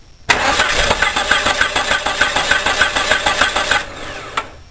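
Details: Car that cranks but won't start, with spark confirmed at the coil and plug leads: starter cranks evenly at about three per second but the engine never fires; failed fuel pump, no fuel delivery.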